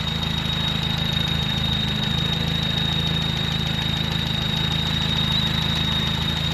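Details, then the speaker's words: Carbureted truck, just running on a fresh rebuilt carb, needs more idle. Even idle with a constant, steady high-pitched squeal on top. Owner unsure, suspects the fan belt; source unconfirmed here, later identified as a squeaky clutch thrust bearing. "Not sure what that squealy noise is."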